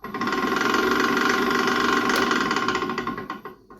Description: When your lathe starts going "tika tika tika tika," you've probably got a bearing problem.